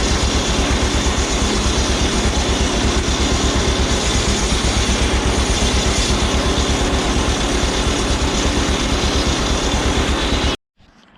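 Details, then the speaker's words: Tractor driving a sawmill flat belt at part throttle, not full: loud steady engine with a fast rhythmic flap near three beats a second as the belt travels back and forth at an RPM it doesn't like; flat belt wandering on the pulley. "It's got certain RPMs there that it doesn't like, and that was one of them, and the belt got traveling back and forth"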